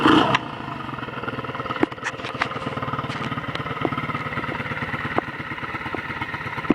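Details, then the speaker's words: 100cc Chinese 4-speed clutchless pit bike, cold start without choke: single-cylinder idles with an uneven, stumbling putter and stray clicks; owner suspects the carburettor needs cleaning. "I don't rev it up too high it doesn't sound right doesn't sound good right now this card needs to be clean clean"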